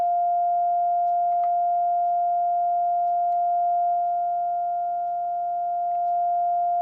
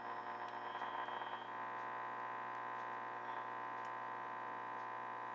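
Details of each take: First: Crosley 635 Buccaneer tube radio during IF alignment, 450 kHz signal generator input, second IF tweaked: pure steady mid-pitched tone through the speaker, peaked at loudest; IF stage passing signal cleanly. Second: Crosley 635 Buccaneer radio after aligning all three bands, round antenna on A1–A2 with ground, tuned for local station 1450: only steady hiss, low hum and faint whistles, with slight change when adjusting the antenna; no stations received, cause unclear.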